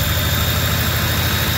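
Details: Ford F-150 after an idler pulley replacement, the old spring having relaxed and left no belt tension, likely causing a startup squeal: smooth, steady low idle with an even hum and no squeal or chirp from the belt. Runs quiet after the fix.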